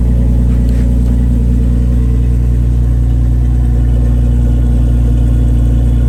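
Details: Jeep Wrangler JKU started after a Motobilt fuel tank install with five gallons of fuel and no leaks; fuel pump audibly running; steady, even idle with a smooth low rumble and no misses or knocks; normal idle.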